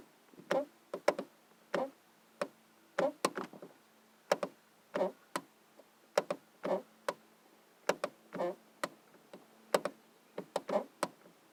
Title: Annoying door clicking sound.